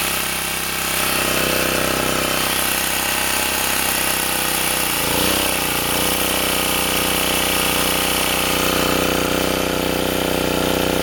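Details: Sportsman 2000 W generator under heavy space heater load (up to 1500 W) after adding a spring to dampen the governor: even, steady note holding speed, one brief dip then smooth settling; no more cycling.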